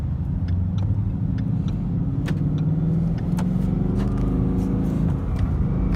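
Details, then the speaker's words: Manual Mustang with speed sensor check engine light; with clutch in and throttle released, revs climb on their own between shifts, a rising drone; owner suspects rodent-chewed wiring, not confirmed. "See what it's doing? Like, I'm not stepping on the gas there, and it's accelerating between shifts."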